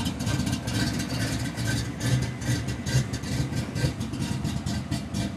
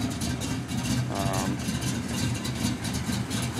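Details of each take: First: 1992 Ford Mustang GT V8, high compression: steady even lope about two beats a second from the big cam; healthy idle, stays under 180° in traffic with air on. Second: 1992 Ford Mustang GT: a low, lumpy V8 idle around two beats a second, uneven and stumbling instead of a smooth hum. Very rough idle.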